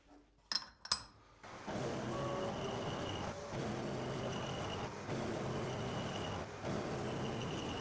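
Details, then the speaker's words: Homemade insert dovetail cutter on a CNC mill cutting lathe tool-holder dovetails: the steady cutting noise carries a lumpy, irregular beat; the owner suspects the insert pockets were not made at the same depth, and the inserts also show chipping. "But before I do that, that dovetail cutter made a sort of an irregular beating sound. So I suspect that when I made this, I didn't get all of the insert pockets at exactly the same depth."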